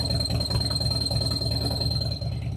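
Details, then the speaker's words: Harley Dyna Low Rider S V-twin at lumpy idle with thin steady high whistle; owner suspects it comes from the exhaust pipe, possibly pipe angle or length. "This is a little squeaking noise. Hear it? It's like a little whistle."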